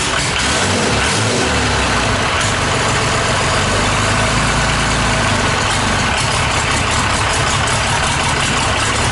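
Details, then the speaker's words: Freshly rebuilt Cummins 5.9 12-valve diesel, first start on an engine stand, no oil pressure gauge fitted yet: steady diesel clatter at idle with an even rhythm and no deep knocks; engine sounds healthy. "Pretty much wanted to get it fired and make sure that idles, no knocks, had good oil pressure, which I gotta get my gauge set up."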